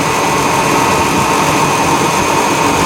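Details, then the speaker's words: 1991 Ford F150 4.9L I6 after serpentine belt replacement: smooth, even idle with a steady drone and no chirp or squeal from the belt; engine and accessory drive sound healthy. "hopefully this thing's still run okay no more chirping that's a good sign no more chirping"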